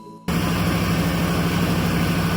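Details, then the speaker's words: Abandoned 1995 Ford F250 after tune-up parts and oil, coolant, transmission fluid changes: engine catches and settles into steady, even low idle, smooth pulse, no ticks or misfires; healthy engine. "Actually sounds really good."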